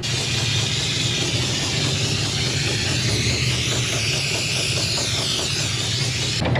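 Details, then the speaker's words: Diesel-fired Steam Jenny 200 Plus steam cleaner after repair, running with soap and water: steady steam hiss over even burner roar and pump pulse, consistent burn, no smoke, no sputter. Normal steam cleaner operation. "seems like it's working okay we got a consistent burn"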